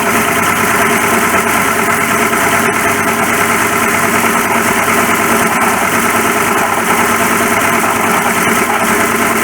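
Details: 1941 Ford pickup at idle, noise came on suddenly and worsened: rough whirring growl over the engine beat that comes and goes. Worn water pump bearing.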